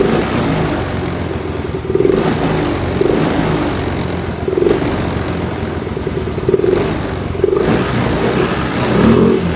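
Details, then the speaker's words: Yamaha Mio M3 125 scooter with stumbling and hard idle, throttle body just cleaned and refitted: short rev blips, and each time the throttle closes the revs sag back slowly instead of dropping cleanly. It idles, but the return is held back; the cause is unconfirmed. "Oke ini di sini terlihat ya E motor masih mau langsam cuma di turun gas dia seperti Ada apa ya ketahan atau lambat lambat turunnya turunnya lambat"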